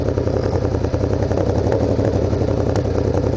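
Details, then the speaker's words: Motorcycle at low speed on the road: uneven engine beat with irregular sharp pops in the exhaust, one side spitting while the other sounds normal; owner unsure whether it is backfiring or misfiring, cause unconfirmed. "I don't know if you can hear it backfiring. Well, it's like... I don't know, is that misfiring? But you can hear it in this one. It's like... It sounds normal, but then this one's like spitting, like."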